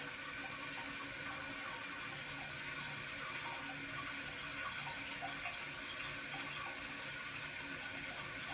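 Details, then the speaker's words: Toilet tank refilling after the leaky flapper was replaced with a Korky Universal Ultra 2-inch and a chain sliding under it was identified: steady, even hiss of filling water with no gurgles or dripping; normal refill. "And I'm going to see what it sounds like. First of all, I'm going to check if it comes back to the same level. And then secondly, I'm going to inspect it to see if there's any dripping sound that I still hear any leak."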